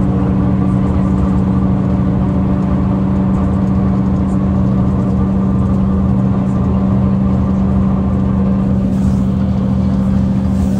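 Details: 2009 Mercedes-Benz CapaCity bus, OM 457 hLA Euro 5 diesel, ZF Ecomat 6 HP 602 C six-speed automatic, ZF AV 132 axle, driving: loud steady low whine holding one pitch under drive noise; unusually noisy automatic transmission.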